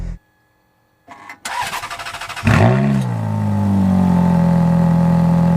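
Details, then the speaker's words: Ferrari F430 V8 just delivered from California, hot in the sun at about 98°F with a known bad battery. About a second of slow, labouring cranking, then it catches with a rev flare and settles: weak battery. "by the way battery is garbage like i said so to start on it it's going to be kind of disappointing"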